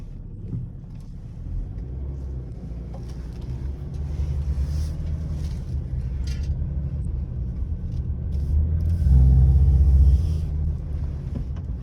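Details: BMW E60 530d turning left at 20-40 km/h: low, throbbing humming vibration that swells over road rumble; everything checked seems OK, cause unknown.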